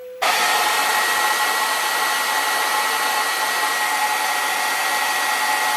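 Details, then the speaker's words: 1983 National NV300 VCR after head drum repair; head drum spins with a steady high whirring hiss and faint thin tone, possibly dry bearings, noise perhaps present before. "So maybe that drum was already making that noise. I should have given it a good spin I guess before I pulled it a bit. Maybe hear a little bit of noise in it."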